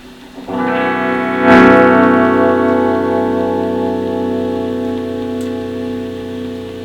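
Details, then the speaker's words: Fender Super Reverb Blackface amp, vibrato channel, owner says vibrato slow to start: sustained guitar chord with faint steady oscillator tick about four per second but almost no wobble; weak vibrato intensity. "I can hear the vibrato oscillator oscillating. It's going tick tick tick tick tick tick tick tick tick, but there's not much intensity there."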